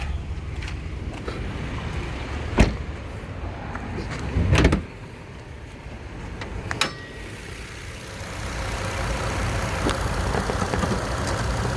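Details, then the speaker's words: 2013 Nissan Xterra 4WD, 3.5 V6, one owner, 122k miles, idling; steady smooth idle with a few hood-latch clunks, no knocks or ticks; engine very healthy, responsive, revs up well. "so engine is very healthy especially for these 3.5 Nissans it's got a lot of response sounds good revs up good"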